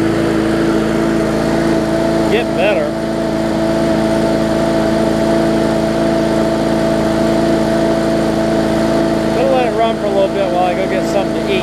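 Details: Bolens push mower with a Briggs & Stratton engine (classic or newer OHV), restarted after refitting the air filter following no-start repair. Steady, even drone at constant speed with no sputter or surging; runs properly now.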